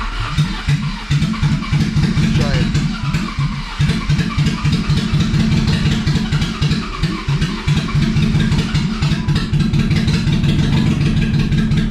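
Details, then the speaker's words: BMW E30 with swapped M50 engine just after first start, no exhaust fitted: loud ragged exhaust beat stumbling at low revs with uneven firing, smoking; runs rough, owner suspects the missing exhaust makes it sound bad, unconfirmed. "come on come on she ain't happy but she's running all right well she runs not very happily i think that has a lot to do with the uh no exhaust i think that's making it sound really bad"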